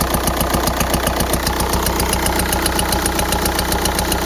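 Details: 2004 VW Jetta TDI PD diesel at idle with a failed camshaft: sharp, regular rapping two or three times a second over diesel clatter, not an exhaust leak; worsened over weeks until it lost speed on highway grades.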